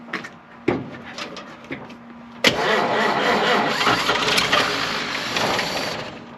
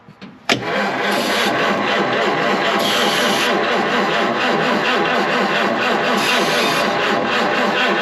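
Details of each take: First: 1953 Chevrolet 210 barn find: a few slow cranking turns, then it catches and settles into a rough, somewhat uneven idle that fades; the old engine fires and keeps running. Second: 1953 Chevrolet 210 barn find being revived, debris suspected in the fuel: about nine seconds of steady starter cranking with even compression beats, but it never fires. Crank, no start, no fire.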